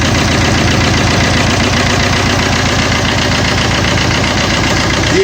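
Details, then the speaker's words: Fiat Multijet diesel that is noisy and shaking: uneven, lumpy idle beating about twice a second with strong vibration. "Evet motor bu şekil çalışıyor sarsıntılı vibrasyonlu"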